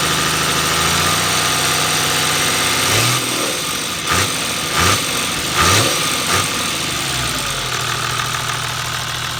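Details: Toyota 1HD-FT diesel idling with a metallic clatter that rises with revs during a few blips. The source can't be pinned down; timing gear or injection pump is suspected.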